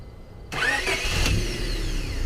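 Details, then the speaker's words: Car with intermittent no-crank in humid weather, fixed by cleaning and retightening a bad wire connection at the clamp rather than starter or battery; quick crank that catches at once and settles into a steady run; normal start. "the sound of success even though it seemed like it could have been the starter with the clicking whenever you tried to crank the engine"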